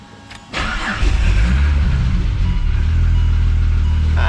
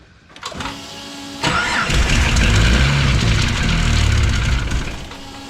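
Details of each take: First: Ford FG Falcon barra on E85 (about 60% ethanol), after the cold-start fuel mixture was changed to run rich: a short crank, then a steady idle that stays running; a dump pipe exhaust leak was also noted. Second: Tuned turbo engine (69mm/80mm turbo, factory variable valve timing, exhaust leak likely at V-band) after cold-start tune changes: starter cranks, engine catches, runs rough, dies and recranks; poor cold start from owner's tune error.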